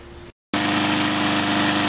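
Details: 7-year-old Briggs & Stratton push mower on Yard Works 22 in. deck, after oil change and blade sharpening: starts first pull after short gap, smooth even buzz, no misses or knocks; normal running.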